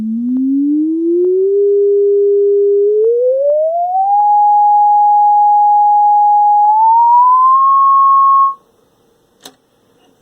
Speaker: right no resonances or anything that's good pretty solid up to 10 K and they start to roll off after about 13 K so this one's alright